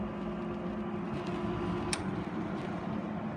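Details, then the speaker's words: Haier QTPC05AA (GE AHV05LZ) 5050 BTU window air conditioner in cooling mode with compressor engaged: steady even hum and airy fan rush over a low drone, no knocks or rattles; normal running. "the compressor has engaged and is in active cooling mode you hear it buzzing that is high speed making its noise"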